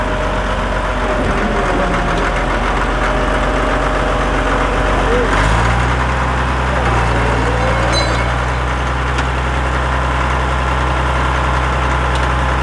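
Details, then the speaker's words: Caterpillar D7F dozer at its first start in 10 years, firing within 3 seconds: heavy diesel clatter drops to a lower, steady idle halfway through, with no misses. The engine runs healthy. "Oh my God, it runs! Look at that, we pushed some dirt with it too."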